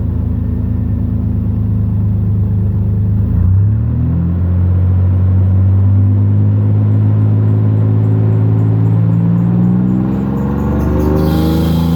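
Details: 2001 Toyota 4Runner, muffler removed (straight pipe made resonance horrible), home-made Helmholtz resonator welded in from 3-inch pipe: engine cranks and catches, deep exhaust rumble rises and falls with revs, no harsh drone; resonator tames the straight pipe.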